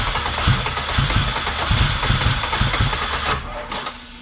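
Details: K24 AWD-swapped Honda Civic, built engine, replacement starter fitted: cranking speeds up, engine catches with uneven low chuffing pulses about two a second under a loud rush, runs then winds down.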